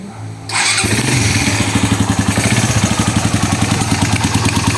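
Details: Raider 150 carb motorcycle engine idles with busy metallic top-end clatter before repair; noisy head from excessive cam holder clearance, fixed by grinding the cam holder, with valve clearance checked.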